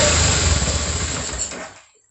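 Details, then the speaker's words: 2004 BMW F650 GS Twin Spark fuel-injected engine, first start after reinstalling in frame, no coolant in system: catches, runs rough under two seconds then dies; hard start, likely fuel still priming, improving each try. "there's no water in this thing but it started starting s better and better every time"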